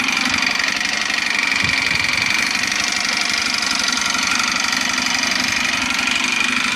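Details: Yamaha YBR motorcycle after replacing balancer, crankshaft bearings, clutch and kickstart spring: light quick tick about four per second over idle; owner unsure whether it comes from the head, cam or rocker arms.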